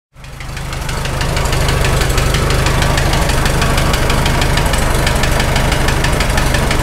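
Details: Farmall H tractor engine running: steady top-end knock about three a second over low rumble; tappets and valve seats ruled out, cause found to be a lifting cylinder sleeve.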